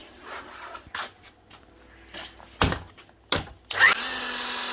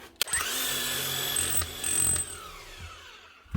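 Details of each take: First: Old Hilti TE 705 demolition hammer, customer says it runs but won't hammer; motor whirs steadily with no hammer blows at all, suspected jammed internally or stripped: seized tool holder, no hammer action. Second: Demolition hammer, front end not stripped: after WD-40 on the front and a few light taps, a short motor buzz with rapid light rattling that starts and stops cleanly; the hammer mechanism cycles freely and hammers normally again.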